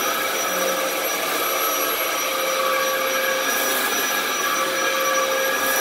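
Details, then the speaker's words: 15-year-old Dyson DC07 running on a rug, uncleaned, with a bad lower hose: a steady motor whine while the brush drive surges on and off. The belts in the brush roll clutch are slipping, so it needs a new belt. "uh yeah you can you could hear that clutch just starting and stopping and starting and stopping or i should say the belts in the clutch more so than the clutch itself"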